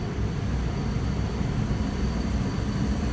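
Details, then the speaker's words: Goodman furnace just started after relocation: constant deep rumble with airy rush, no rattles, squeals or surging; furnace burning and blowing steadily, running normally. "okay guys she's up and running"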